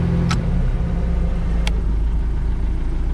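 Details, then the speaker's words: 1999 Chaparral 180 LE bowrider with 3.0L Mercury four-cylinder sterndrive, first start after sitting over winter, on garden-hose water: deep, steady low rumble with even firing and no knocks or misses, settling into a smooth healthy idle. "like it's gonna idle just nice we'll shut her down for now"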